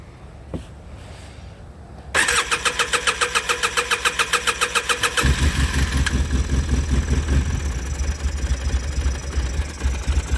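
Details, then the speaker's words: Polaris Sportsman 700 after sitting for 2 years, with fresh gas and a little choke. Brief cranking, then it fires and settles into an even fast idle that steadies and deepens: normal start after storage. "not too bad"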